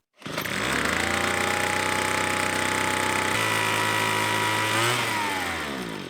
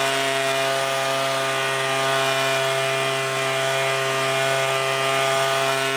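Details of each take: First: Two-stroke leaf blower, one of a Craftsman B210, Husqvarna 125B, Weed Eater Barracuda SV30 and Troy-Bilt TB2MB, after a fuel line replacement: snaps to a high buzzing rev, wavers, then sags and dies instead of idling; carburetor fault. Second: Leaf blower carburetor being adjusted, both jets set out 1.5 turns, then the low-speed jet out another half turn: steady high-pitched two-stroke drone, clean and even with no bogging. The throttle is now responsive.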